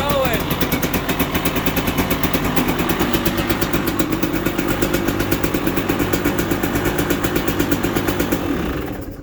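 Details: 2020 KTM 300 XC TPI, 279.1 hours, after a trail no-start with FI light for the fuel/oil pump signal, rewired: crisp two-stroke idle popping at a steady rate before shutting off; fires cleanly; normal running.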